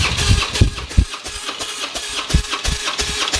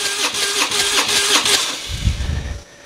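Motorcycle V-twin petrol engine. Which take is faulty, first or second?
second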